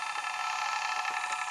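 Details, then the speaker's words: PowerBook 1400 disc drive being imaged: fast even whirring hiss with a faint fluttering rattle, steady throughout, a particularly noisy optical drive spinning while reading. "and now it's working and this is a particularly noisy"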